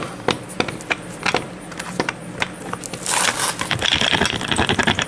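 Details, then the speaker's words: Ford Escort ZX2 CV shaft removed and worked by hand: loose irregular metallic clacking from excess free play; worn CV joint likely causing noise underneath, replacement shaft expected — worn CV joint. "I'm guessing that I'm going to end up having to get another CV shaft too because that one is that's probably what was kind of making some of the noise down there like I say it's not supposed to make that noise"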